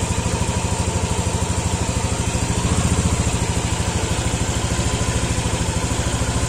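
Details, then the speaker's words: Yamaha Aerox scooter after replacing a broken cam chain tensioner with a manual tensioner and refitting the air box filter: steady, even, smooth idle with regular pulses and no top-end rattle or tick; normal. "Samaya suaranya pun halus Ya pastilah namanya kalau Tensioner udah bener suara mesin pun akan halus"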